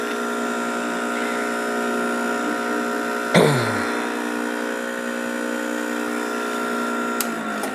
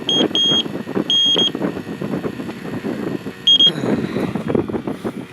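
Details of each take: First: Refrigerant pump on 1988 Jeep XJ AC work, after recovering refrigerant into an old propane bottle, pulling vacuum through the gauge set on the compressor: constant electric hum, steady pitch, one sharp clack midway; running normally. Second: Freon leak detector checking the AC compressor for a 1988 Jeep XJ: erratic, high-pitched, Morse-like beeps in short uneven bursts over background clatter; false alarm, likely because the black sensor hose on its end is loose.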